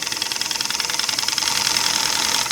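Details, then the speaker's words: Homemade oscillating steam engine on compressed air: rapid even chuffs about ten a second over steady air hiss, picking up slightly; runs smooth and healthy. "and of course to reverse it just reverse the uh very little air coming out of there just a few pounds there goes in the other direction"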